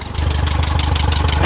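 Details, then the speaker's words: Worn-out Geo Metro at idle: rough petrol idle with loud raspy exhaust note and fast puffing tick from an exhaust leak, plus a rattle it shouldn't have. "it's got an exhaust leak but that's not incredible so far don't think she's supposed to Rattle like that"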